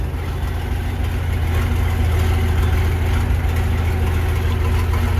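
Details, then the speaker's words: Versatile 800 tractor diesel at steady idle with the old, likely factory, roughly 50-year-old muffler removed: loud, deep, raw unmuffled throb before the new muffler is fitted. "What a beautiful sound, isn't it? Shame we have to put that horsepower restrictor back on the front, but let's do that."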